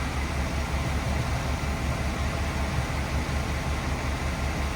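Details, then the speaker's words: 1979 Cadillac Seville idling after new exhaust flange bolted and welded to rusty old tubing: deep, even exhaust rumble with no puffing or ticking from a leak; normal idle. "It doesn't sound like poo anymore. Problem solved. Problem solved. Much better."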